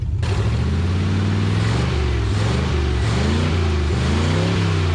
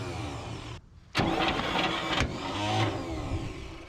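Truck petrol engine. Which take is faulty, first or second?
second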